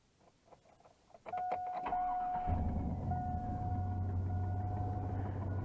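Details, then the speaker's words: Chevrolet Silverado V8 starts and settles into a rough idle with a faint puffing tick from an exhaust manifold leak caused by two broken manifold bolts at the head. "here that and here the exhaust leak we get over here that's our that's our typical shovel a we've done a bunch of these in the shop"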